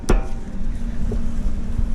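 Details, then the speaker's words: 2003–2007 Acura TSX with the right front wheel off. Rocking the hub by hand gives a sharp metallic clunk, then softer knocks, with slight play; the owner also describes clicking over bumps. Upper ball joint play; the upper control arm is to be replaced. "There's a plate. Very slight play. Okay. So that's the problem."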